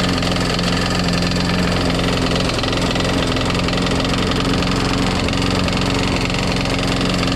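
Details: Craftsman Eager 1 mulching push mower, single-cylinder, first run after priming: loud, rough idle with rapid, uneven knocking thud and smoke; blade not hitting, cause unclear.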